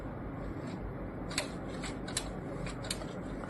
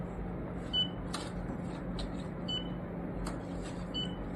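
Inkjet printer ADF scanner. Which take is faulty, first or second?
first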